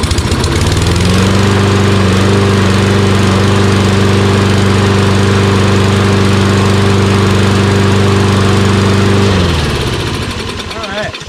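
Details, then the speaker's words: Toro Recycler XT675 mower with Kohler engine after fuel-system repairs: holds one steady note with no hunting or surging, then shuts down cleanly. Surging had come from a lean, air-heavy mixture, and the magneto tested good. "you can hear it doesn't surge anymore a reason why it surged was because the fuel air mixture wasn't right"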